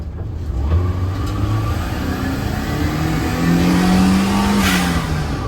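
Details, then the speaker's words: Turbo Daihatsu Mira with the blow-off valve that came in the car refitted, revving: small engine revs up and down, sharp hissing whoosh on throttle close; normal venting, slightly louder than the HKS, kept on the car. "Oh, no, it sounds pretty good. All right, for now, I'm gonna keep that one on."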